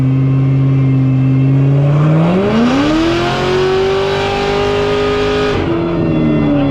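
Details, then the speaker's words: C7 Corvette Z06 on a dyno pull at about 15 psi boost, slight spark knock at the very top: engine pulls steadily, then revs flare as tyres spin on the rollers; wheelspin on dyno. "it did spin on the dino bad like you could hear it spinning in the video you could hear it spinning"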